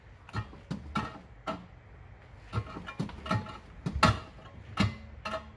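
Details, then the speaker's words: Toyota Camry driver's door: hollow cowbell-like metallic clanks each time the door moves, opens, closes or hits a bump, from a broken loose strut inside the door. "recently my car door started making an odd noise like a a cowbell inside the door every time the door moves"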